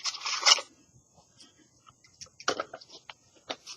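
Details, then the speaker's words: 1997 Nissan Hardbody pickup with KA24 engine, PCV valves shaken by hand during a timing chain job: the old valve rattles faintly and the new one rattles crisply and louder as the check ball moves freely; normal PCV valve rattle. "Old one, you can hear it a little bit. New one, you hear a lot better."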